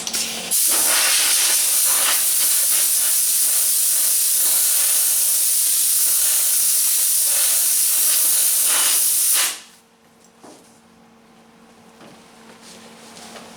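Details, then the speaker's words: MIG welding on a 1977 Camaro Z28 quarter panel area; harsh continuous hiss with scattered pops for about nine seconds instead of an even bacon-like crackle, rough arc; turning up current didn't help, cause unknown, though it still welds. "I don't know what makes the welder do that you hear it's not crackling like bacon it's just kind of turned up the current that didn't help I need to turn it in more I don't know I mean it is welding it's just sounds funny"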